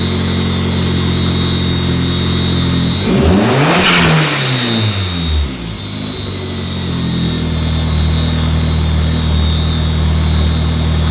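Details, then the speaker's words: Mark IV Jetta after the clutch problem was fixed, with the brake master cylinder replaced earlier. Even idle, then a quick rev that climbs sharply and drops back smoothly to steady idle; strong, clean response with no misfire; sounds much better now. "but um this thing sounds way the hell better now"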